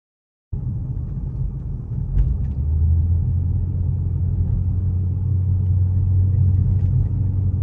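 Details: Lincoln MKZ Hybrid coasting downhill with Grade Assist on: the engine is spun unfuelled as an air compressor for engine braking, a smooth, even low drone that swells after a couple of seconds and holds steady. Normal operation, saves fuel and brakes.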